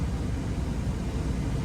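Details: 03–08 Dodge Ram 1500 5.7 Hemi converted from clutch fan to electric fan, switch-on point being dialed in: steady, even low whoosh of air, no rattles, ticks or wobble; temperature dropping from about 208 toward 203–206. Normal cooling fan operation.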